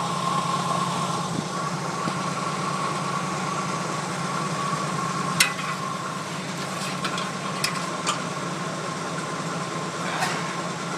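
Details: 1980 Jeep CJ5 cold start after sitting four or five days through sub-zero nights, around five degrees out: smooth even low idle rumble with faint whir, no knocking or missing; idles fine.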